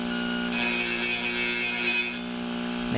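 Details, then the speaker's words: Homemade micro grinder made from an old Seagate Barracuda 150 GB hard drive with emery cloth glued to the platter: steady 60 Hz mains hum, then a brief harsh scrape as a steel tip touches it; grinds normally, vibration from the off-centre cloth. "yeah that noise is just caused by vibration because this sound better plus paper or Emery and cloth whatever you want to call it it's not quite on um not quite scented but that doesn't matter"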